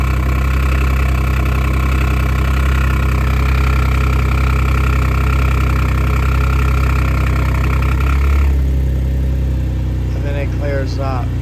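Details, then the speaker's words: 2014 Audi S5 APR Stage 2 with resonator delete, 131,714 miles, replacement engine with about 80k miles. On cold start a loud deep drone with a sharp puffing tick that clears after a few seconds: exhaust manifold leak between the manifold and the head. "This has an exhaust manifold leak between the exhaust manifold and the head. Whenever I go to start it, will be a little noisy, but I want you to hear exactly what it sounds like."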